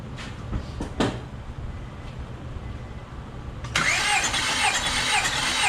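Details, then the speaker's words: Car cranking during a compression test, gauge reading 200 on this cylinder, similar to the others: steady, even starter beat, every compression stroke alike, no lazy or skipped pulse; healthy cylinder. "All right, you'll notice our compression on this one's 200 as well. So we're basically right about the same as the others, 125 and 70."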